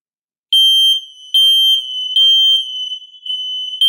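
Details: Kidde ionization hardwired smoke alarms (model possibly 1275) on sensor test: high shrill chirps in repeating bursts as interconnected units join in together; alarms and interconnection wiring working properly.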